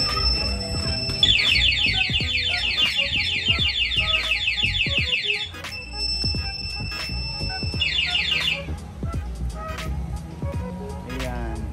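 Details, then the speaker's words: Sniper 155 with newly installed keyless anti-theft system, engine killed by remote lock: loud repeating high-pitched warbling chirps as the alarm sounds as designed. "Automatic po yan, mamamatay na. Kahit anong gawin nila, hindi na po gagana. Okay, mag-a-alarm pa."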